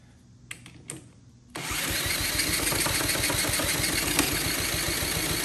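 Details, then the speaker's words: Honda CT70K1 bought at a swap meet, throttle wide open with flammable starting spray: steady cranking about three and a half turns per second that never catches; cranks but won't start, owner wonders about low compression. "ah it sounds like it wants to I have no idea what I'm spraying in there the can says it's flammable ah really man it sounds like it's trying to catch"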